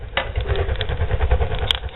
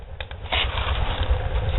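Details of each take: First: Barrel woodstove with modified air intake, pipe at about 600 degrees: deep, steady low rumble with crackles and pops, stove drawing hard and burning vigorously; normal strong draft roar. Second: Homemade barrel woodstove with modified air intake, door opened slightly; low uneven rumble with crackles swelling from the firebox as the fire struggles for air; air-starved combustion rumble.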